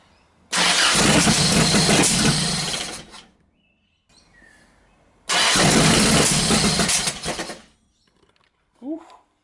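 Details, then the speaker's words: Toyota Hilux drift build on first start with fuel and spark, distributor just plugged in: two rough cranking bursts catch and die with ragged popping, backfiring back through the carburettor. Owner suspects ignition timing needs setting; it seems close to running. "Damn. Seems to be backfiring out the carby a little bit, probably needs to be timed. But it sounds like it's gonna run."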